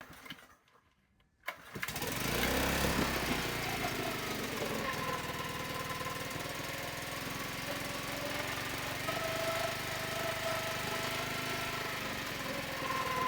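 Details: Mercury 5HP two-stroke outboard with damaged lower unit and housing, first start test on hooked-up fuel before refurbishing: quiet, then catches and settles into a steady even buzz with no misses; starts and runs fine.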